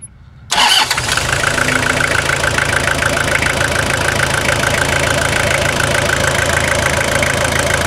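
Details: 2000/01 Toyota Hilux SR5 2.8 diesel after a full revitalization service: it catches quickly and settles into a smooth, even idle clatter with no knocks or stumbles, and sounds healthy. Normal start and idle.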